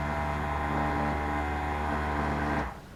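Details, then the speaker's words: 12-volt tank sprayer pump powered from a riding mower, after a no-power problem was fixed: steady electric hum with even buzzing pulse for about 2.5 seconds, then stops; runs but does not draw water, diaphragm looks okay, suspected no suction, cause unconfirmed. "And the sprayer does not work. Guess we'll try a couple quick checks here and see what's going on."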